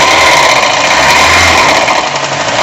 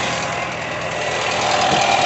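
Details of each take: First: VW Gol 1.0 engine running: steady hollow light knock at idle, louder when revved and worse when warmer; piston slap suspected, head to be removed to check for other causes. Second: VW Gol 1.0 engine after repair of an engine noise, with pulley problems and cylinder-head corrosion found and fixed: idles steadily and evenly, no knocking or ticking over the hiss; runs clean and healthy.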